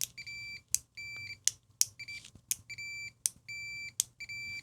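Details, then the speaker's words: Fluke 287 multimeter on a continuity test. Short repeated beeps, roughly one a second, each start a beat after the probe clicks. The continuity beeper has an audible delay and responds slowly. "It's kind of good, but it is really slow. So here we're doing continuity test. Hear that delay?"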